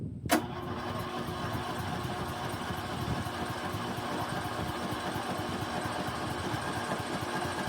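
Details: Snapper 150Z zero-turn mower, 20 hp, sat about five years, very dead battery on charger: steady even churning of starter cranking several seconds, never fires; later ran on starting fluid; crank no start, cause unconfirmed.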